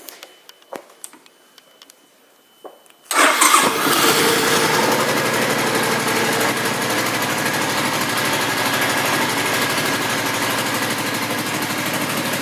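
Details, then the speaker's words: 2005 Suzuki Boulevard M50 with stock pipes, 17,408 miles: quick start after a brief crank, then steady, even V-twin idle with no tapping, misfire or hunting; sounds healthy. "And I'll go ahead and start it up for you so you can listen to it run."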